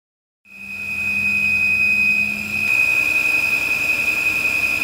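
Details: 2008 Volvo XC70 running fully warm after extended driving, with a loud, steady high-pitched whistle/screech first mistaken for a belt, from air through a failed PCV diaphragm; PCV system failure.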